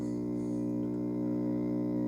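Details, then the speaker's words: PreSonus FireStudio audio interface, heard through a Laney amp. The left main output gives a steady low hum with even overtones, unaffected by the controls, while the right main output is clean. The left output op amp is faulty. "it just hums all right so that's the issue it's humming on the left main output"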